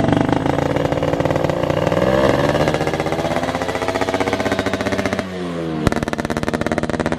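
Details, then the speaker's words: Rebuilt ported Yamaha Alfa two-stroke on stock carburetor, ridden on the road: even rapid popping rising smoothly with throttle, dropping cleanly on shifts, exhaust quieter than usual; normal running under acceleration. "oke teman-teman Ini kita lagi di Jalan Raya ya jadi di lagi di Ryan teman-teman suaranya halus banget knalpot Si Kopi biasanya suaranya gahar ini agak sedikit halus agak semut"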